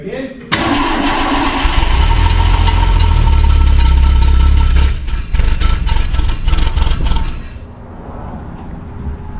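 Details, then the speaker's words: 1966 Ford Mustang 6-cylinder barn find, not run in 40 years: loud, rough, sputtering firing on ether, then dies and won't sustain; timing thought close; owner suspects a plugged carburetor; mouse debris is blowing from the exhaust. "I think the timing's fairly close close enough to run um but I'm having to help it with the starting fluid"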